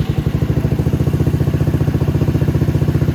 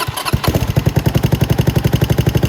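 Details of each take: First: Venom X22GT 250cc single-cylinder motorcycle with Nibbi carb and upgraded muffler, just started, before valve adjustment: quick, even thumping beat around 220 a minute with steady low rumble, clean smooth idle, runs beautifully. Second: Venom X22GT 250cc single-cylinder motorcycle with Nibbi carb and upgraded muffler, idling with valve adjusters loosened: sharp click on each beat, about ten a second, from the exhaust valve hitting due to excessive clearance, before readjustment.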